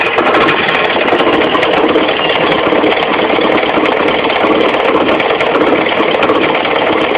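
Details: Mitsubishi 4G15 carburetted four-cylinder running with steady fast ticking and clatter from low at the front, the crankshaft pulley area: a loose crankshaft pulley, fixed by tightening it rather than replacing it.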